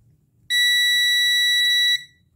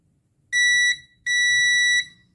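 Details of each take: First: Ultrasonic device board repair, device unplugged, multimeter on continuity: one steady high beep for about 1.5 s. It reads the roughly 2-ohm output inductor winding, which connects directly to the output with no diode, so this is not the short that kept blowing the fuse. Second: Ultrasonic device power board that blew its replacement fuse after suddenly cutting out: a multimeter continuity test on an NPN power transistor gives two steady high beeps, base to collector and emitter, meaning the transistor is shorted and burnt.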